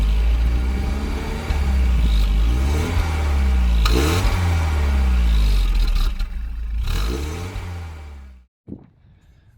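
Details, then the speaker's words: Old Volvo 740 after installing a new exhaust system with cat, middle silencer and rear muffler: deep, even exhaust rumble swelling smoothly with throttle blips, no rattles or blowing; normal exhaust note. "So, this is what it sounds like with the new exhaust."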